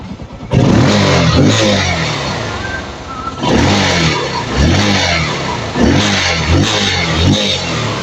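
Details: Kawasaki Rouser 135 that would not start after sitting about 10 days, after the faulty CDI was replaced: engine catches promptly and revs cleanly in repeated blips with no misses or stumbles; running normally.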